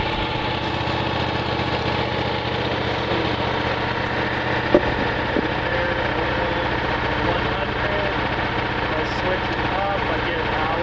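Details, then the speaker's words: Miller Legend 302 welder, Kohler 20HP V-twin, warm with no choke, set to 18 with the voltage all the way down. Steady, even drone with no surging. Engine runs great, but receptacles showed at most 16 V before repair. "Powers up, runs great."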